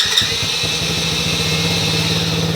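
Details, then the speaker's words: 2015 TaoTao 110 kids' ATV that wouldn't start (no spark) after riding through a puddle, fixed by pushing in and tightening the loose spark plug cap: small single catches straight away and settles into a steady, even idle; normal start. "Turn the ignition on. Fire right up."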